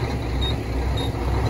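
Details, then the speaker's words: Auction diesel truck, about 1.4 on the odometer, at idle: heavy uneven shaking with brief sags as if about to stall, then recovering; rough idle, cause unknown. "Sound like it's trying to cut off. Now it's back running. Now it's trying to cut off again."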